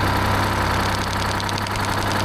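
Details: 1975 Peterbilt 359, Detroit 12V71 V12 two-stroke diesel, very smoky, one bank cold, owner briefly suspects stuck rings or rack adjustment: rough, loping idle with irregular beats under a steady drone.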